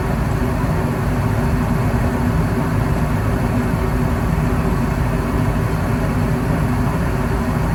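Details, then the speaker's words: Goodman gas furnace after repair of E2 low-fire pressure switch open fault: steady, even low whoosh of the blower on low speed, no rattles or rubbing, good flame; normal running. "Look at that beautiful flame. Wow. That is a beautiful flame."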